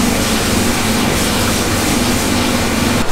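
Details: Old milking-shed vacuum pump on a New Zealand dairy farm, due for replacement as worn out, recorded before the upgrade: loud, harsh droning roar with a steady pulsing beat filling the shed, much noisier than a healthy pump.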